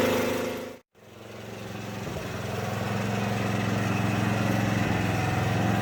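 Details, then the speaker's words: Craftsman rear-engine tractor, 13hp Tecumseh OHV, after valve work and dropping the governor spring a notch: catches after a pause and holds an even, steady beat with no hunting or surging; problem appears solved. "all right we can let it cool down i'm going to test it one more time seems fine i think we solved it"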